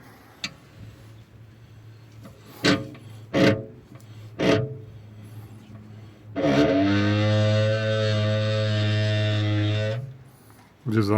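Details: Audi 100 C3 rear disc brakes after caliper service: a few dull knocks then a steady low groaning tone, brake pad resonance heard when pulling away after braking and while driving; rattles over bumps; caliper piston rusted, cleaning or replacement needed.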